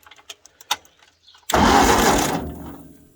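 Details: Long-sitting 1953 Ford Golden Jubilee tractor with a battery fitted and rigged key switch: a few light clicks, then about a second of fast cranking churn that fades without catching; it turns but won't fire.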